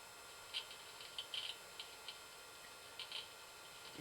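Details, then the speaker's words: Rare Digital PC 5000 Pentium II booting Windows 98 in cold conditions: faint, irregular dry ticks over a quiet hum as the hard drive tries to read; failing drive clicking, possibly worsened by cold, to be replaced. "oh it's trying something windows 98 yeah that hard drive is no good it might not like how cold it is that may be the issue but i'm gonna replace it anyway"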